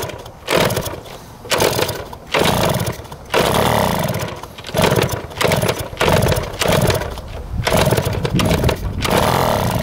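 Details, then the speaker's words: 1971 Yamaha JT1 mini enduro two-stroke, stored 30 years, first start with 133 psi compression: raspy, choked running that surges and sags about once a second under blips, never clearing; exhaust blocked with mouse droppings or what looks like poison. "that is nasty it was clogged the exhaust with a bunch of mouse turds our poison it looks like almost"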